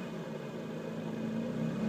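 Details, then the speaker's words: 2011 Lotus Exige rough idle: quiet, uneven idle that slowly climbs in speed with no throttle applied, the pitch creeping up near the end. The idle is surging and revving by itself. "I'm not hitting the gas at all. The car is doing this by itself."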